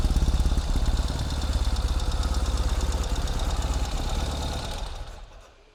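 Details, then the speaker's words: 2021 Ural Gear Up Hornet custom sidecar motorcycle after final assembly, started in neutral: even thumping idle about three and a half beats a second, settling then shutting off; boxer twin sounds healthy, normal idle. "So we're going to get a quick start on the bike, for this bike, so you can hear it."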